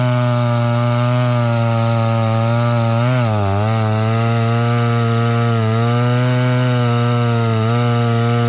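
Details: Husqvarna 285 (85cc) two-stroke chainsaw after a seal replacement and a shortened bar, cutting wood: strong steady buzz dips briefly as the chain loads, then picks straight back up without bogging; running right.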